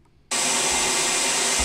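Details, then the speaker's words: Handheld open compressed-air nozzle used all day in a factory to sweep product toward recycling: sudden harsh, hissing blast held steady and loud; loud open-nozzle noise, which an air-entraining nozzle would cut by about 15 dB while using less air. "they have two blokes whose sole job is to use air Nancy's of walk backs and forwards down the factory all day and these things are noisy so"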